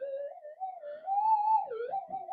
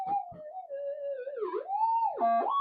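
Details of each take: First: Old modified Nugget Finder Advantage mono metal detector coil with leaking solder joints, tested against a hot rock/core; threshold tone stays smooth and steady with no sharp rise as the rock passes: no false signal from hot rock. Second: Minelab GPX metal detector, ground balanced, with a mono coil: a warbling tone dips and swings about three times a second as hot rock passes near the unshielded, solder-blobbed coil wires; a false signal.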